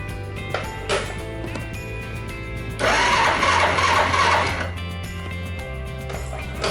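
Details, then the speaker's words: Honda Super Cub starter motor cranking slowly: labored, uneven whirring about three turns a second that never catches, even with a brand-new part fitted. Switch ruled out, relay thought fine, terminals not rusty, kick-starts easily; starter motor itself suspected, not confirmed. "Weak. That means... Maybe, starter motor"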